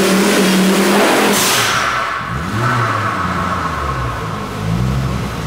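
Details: Volvo 850 turbo (19T turbo) on a dyno under hard load: uneven stumbling beat, three or four a second, and lean at the end of the pull; suspected misfires that don't appear on the street.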